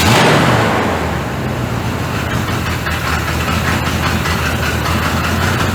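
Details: 1985 Chevy C30 diesel-to-gas swap, after timing was set and plug wires moved: a loud, lumpy, irregular idle that won't hold, with heavy smoke, after idling well earlier; cause unknown.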